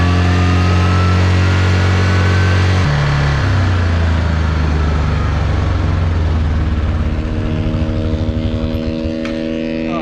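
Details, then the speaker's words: Yamaha Rhino 660 UTV engine, after running fine for three days, stalls while riding at the main road: steady note drops in pitch and winds down unevenly; owner suspects an ignition problem after blowing water out and checking the wire. "freaking thing runs perfect for three days and stalls out right when i'm at the main road come on"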